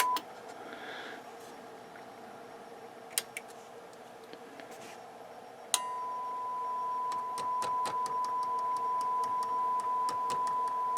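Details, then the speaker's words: Yamaha CR-820 receiver before restoration, playing a test tone at full volume: sharp, irregular clicks as the speaker relay chatters and cuts out; the relay is flaky and is suspected to need cleaning. "yeah it is flaky so I'm going to have to redo that relay probably just need [Music] cleaning"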